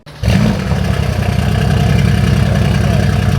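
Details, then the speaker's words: Mercedes W205 C63S AMG: catches and settles into uneven stumbling beat with clattery pulse, running very weirdly: misfire from intake air leak. "It's running very weirdly. What is going on with this car, bro?"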